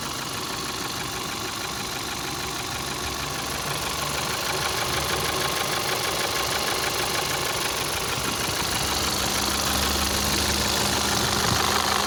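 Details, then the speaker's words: 2012 VW Passat CC 2.0 TSI (EA888 gen 1, CCT), 189,000 km, cold engine idling after oil top-up: sharp, hard metallic tapping about three per second, unchanged by oil; piston knock, teardown for rebuild. "Ну, звук как был, так и остался. Он не стал, не поменял ни частоту, ни тональность, ничего, все осталось как и было."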